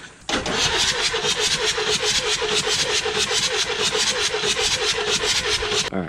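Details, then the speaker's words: 7.3L Powerstroke diesel at 500,000 miles, cranking after Full Force stage 1.5 injectors were installed and glow plugs refitted, to check nothing is locked up: steady, even cranking, about five pulses a second, no binding; turns over freely. "I'm just going to crank it first make sure it's not locked up thing is uh trying to crank which is good that means nothing's locked up things sounds good though"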